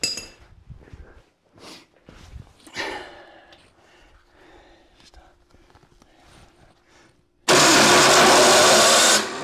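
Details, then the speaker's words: Classic Ford Bronco/truck engine, oil put in cylinders, choked, high compression: loud harsh grinding whirr for about two seconds without turning over. Starter grinding on a damaged flywheel ring gear bad spot. "one more time one more time oh she stopped right on that bad spot"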